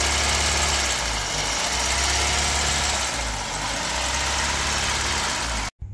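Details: Honda Civic EK hatch engine idling with check engine light on: rough, shaky idle with a heavy stumble roughly every two seconds over the steady drone, a cylinder misfiring; owner suspects bent valves, not confirmed.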